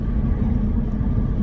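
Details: Steady low droning rumble from the rear while driving a £390 Saab, no clicks or grinding; first suspected a wheel bearing coming through the chassis, but a flat-spotted, out-of-round rear tyre is the drone.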